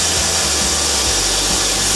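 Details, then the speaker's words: Hand-built laser cutter and engraver while cutting: a constant, high, even hiss from the air assist over a faint low hum; normal operation, and it cuts better with the air assist on. "while it's cutting the air has to be blowing it cuts a lot better when the air assist is on that's that hissing noise you can hear this we part will probably just fall out"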